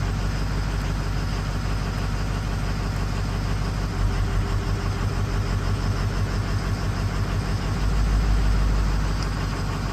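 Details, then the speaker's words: Ford 6.0 diesel F450 wrecker idling with a lopsided beat, about three pulses a second. Code P0273 (injector 5 circuit low, contribution fault) is set, and the cylinder-drop and buzz tests got no response from injector 5. Cylinder 5 is not contributing. "If you don't hear that, we're missing 5 every time right here."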